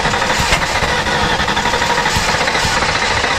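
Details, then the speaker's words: Factory Five Type 65 Coupe, 302 small-block Ford just fitted with AFR 185 heads, ignition timing being advanced in small steps: fast uneven starter chugging with occasional stronger thumps, never catches — cranking but not starting. "now it's getting that sounds better that sounds like it's wanting to fire give it just a hair more I mean that sounds like we're getting close there"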